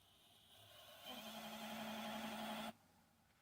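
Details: Xbox One S optical drive that refuses to read discs: steady mid-pitched whir with buzzing for under two seconds, cutting off abruptly as a disc is inserted; drive straining and failing to load.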